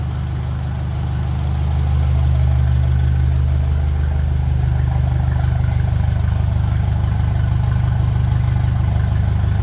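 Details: 1957 Ferguson 35 TVO tractor just after ignition timing was reset to the book specification, started on a mild evening after exhaust spitting was largely cured: deep, even low thrum, about three beats a second after a brief swell; normal smooth idle.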